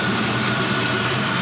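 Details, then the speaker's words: 5.3L Gen 3 LM7 V8 with 180k miles, LS7 lifters, new Melling oil pump and MLS head gaskets, idling soon after a near-cold start: very smooth, quiet, steady low burble with no ticks or knocks; normal idle. "But as you can see, it runs very smooth, very quiet."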